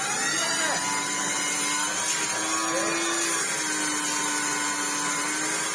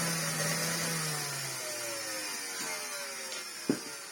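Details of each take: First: Hoover Turbopower 2 Autosense after refitting the motor housing and the thermal cutout link wire: strong steady high-pitched motor whine with airflow rush, speed holding even without surging; running properly now, where before it ran terribly. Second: Well-used Hoover Turbopower 2 Autosense bought as spares or repairs, first switch-on with the belt off and hose removed: rough, hissy whine sagging in pitch, never settling, thump near the end; the motor is completely burnt out.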